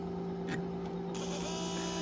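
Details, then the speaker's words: Used no-name aftermarket fuel pump removed from a Mercedes W126, bench-tested after cleaning: a steady, even electric hum with no surging or rattling, drawing about one amp and running smoothly. "so when we turn this on you can hear this and you can see it we're drawing right one amp"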